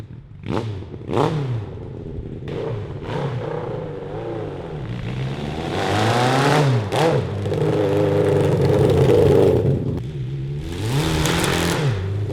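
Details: 1982 Honda CB750 carbureted 750cc four in a cross kart, runs fine up to 4000 rpm: during a ride, revs climb and fall with a ragged, stumbling note under load at higher revs. The owners suspect a lean mixture in the carburetors.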